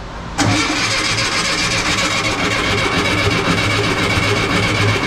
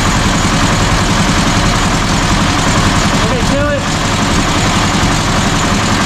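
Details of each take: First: 1967 VW Bus with 1500cc engine, carbs primed with fuel: starter cranks steadily about five seconds without catching or speeding up; crank no start, later cured by changing the distributor and coil and rotating the distributor, with bad points blamed. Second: 1967 VW Bus with 1500cc engine after new distributor, coil and points, valves, timing and carbs set: steady, even, smooth low idle with no knocks or misses; throttle linkage still needs adjusting.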